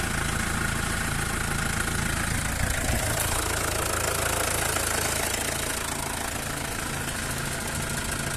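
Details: Mercedes W212 with OM651 diesel, serpentine belt removed: idling with a fast, fairly regular knocking tick about three per second that persists with no belt-driven accessories. Source not pinned down.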